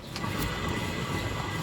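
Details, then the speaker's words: Mazda CX-5 rear differential: steady, loud, high howl over rumbling road noise; the ring gear bearing has dropped and broken, letting pinion and ring gear grind against each other; low differential oil capacity cited. "หอนดังละดังแรงนะครับลูกปืนตกลูกปืนแตกไปแล้วนะครับ"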